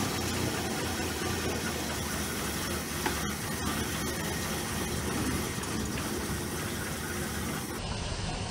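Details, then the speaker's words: Abandoned Australian Valiant VG, not run since 1997, first start: steady idle but dull subdued exhaust with flat hiss and no crisp pulse; owner suspects blocked exhaust, timing still to be set. "it sounds like it's got a blocked exhaust to be honest I did have a camera at the back and that stuff has cleared out but it still sounds really quiet"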